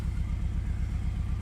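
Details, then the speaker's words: Fifth-gen Honda Prelude 2.2 VTi VTEC automatic after ECU swap: uneven, lumpy idle with a regular stumble every few beats, running on three cylinders; cylinder one gets only rare occasional spark, so it misfires. "so fuel's going through get an occasional spark go through to piston one really rare occasional Spark"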